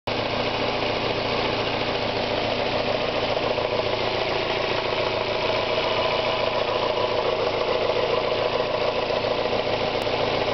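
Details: Mazda Miata engine at idle: fast, light, irregular ticking of about three or four per second over the engine note. It ticks from 1000 to 3500 rpm and fades above 4000 rpm; the owner fears a lifter (HLA), rod knock or bearing failure.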